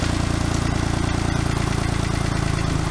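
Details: Geo Metro three-cylinder engine with suspected spun bearing, previously dying (crank sensor suspected, oil-soaked): idling with steady dull knock about four per second; worn rod bearing still knocking.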